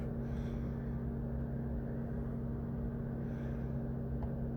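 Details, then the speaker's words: Mercedes-Benz W203 C220 CDI, towed in non-running with DTC P2364 and no CAN bus signal: engine off, yet a steady, even fan hum with a low drone at one speed; radiator fan running constantly, ECM fault suspected, not confirmed. "As you can hear, the radiator fan is still operating."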